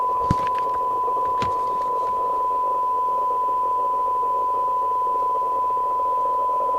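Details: 1981 Rotel RVC220 (Cybernet 134) UK FM CB radio after extensive repair, receive at sensitivity limit (0.23 µV for 12 dB SINAD): steady clean test tone over faint hiss, no crackle or distortion; receiver working properly.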